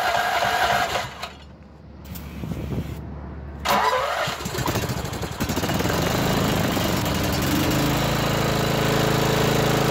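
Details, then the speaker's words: Nearly new lawnmower with about 10 hours, which had been surging and sputtering, after a mouse nest was removed from the muffler: cranks and sputters, then catches and settles into a steady even run with no surging; normal running. "shut her off boy now that's the way they supposed to sound"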